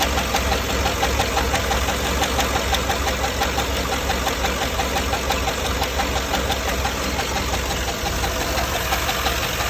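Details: GM 6.2L L94 V8 after cam swap, idling: sharp steady tick about three per second from a roller lifter damaged by cheap non-OEM lifter trays letting lifters twist above 4500 rpm.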